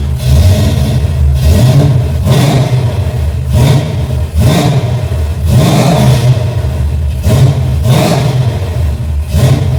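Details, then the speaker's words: Engine with a rebuilt Holley carburetor and replacement fuel pressure regulator, now fixed, cold start: deep lumpy idle with repeated sharp throttle blips that rise and fall cleanly, crisp throttle response. Normal cold start idle and revving. "All right. Had to start up with a cold start. See how she work. Beautiful."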